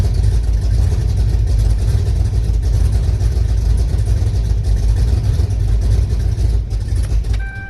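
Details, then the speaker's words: GMC Yukon being fitted with turbo, late-night start after no-start troubleshooting and adding fuel: loud deep roar held on throttle sags away; won't idle by itself, owner suspects idle set too low. "Was it idling itself? No. I was holding it. Maybe I have the idle too low."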